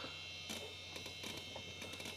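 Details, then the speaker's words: Old Intel Pentium AT computer running Windows 95: harsh, steady high buzz with faint ticking over a low hum, like a strimmer; the old hard drive is very loud but working. "So that might make you all nostalgic, and the really horrible hard drive, it sounds like a strimmer."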